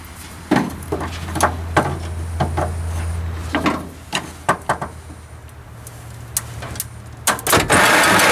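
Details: 1949 Dodge business coupe with a four-speed, first start attempt in 20 years on an old battery: low electric hum with scattered clunks and no cranking. The starter spins but seems not to engage the flywheel teeth; it is to be pulled and inspected.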